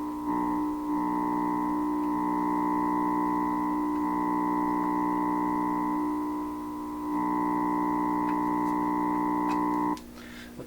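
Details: 1928 RCA Victor Model 28V radio during trimmer balance and alignment: loud steady droning whistle with several fixed pitches for ten seconds before cutting out; set not operating properly, cause unclear.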